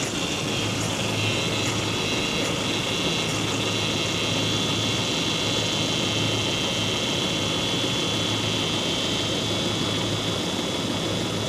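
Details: Work truck, engine running with empty power steering reservoir before refilling to find a leak: steady high-pitched whine from the power steering pump sucking in air.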